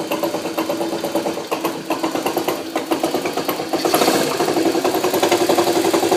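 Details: Honda CM91 small single-cylinder engine running: a loose metallic rattle rides on each beat and grows louder as revs rise. The owner asks what the bad rattle could be, and the cause is unconfirmed.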